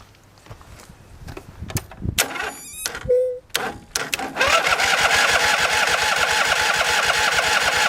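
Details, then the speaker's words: John Deere 325 lawn tractor, after fixing a no-start (cranked a few seconds then stopped) at the starter solenoid; not started in a long while. A few clicks, then steady even cranking about 3.5 beats per second; normal cranking. "well that seemed to be the problem it's turning over it's probably going to take a little coaxing because it hasn't been started in quite a while"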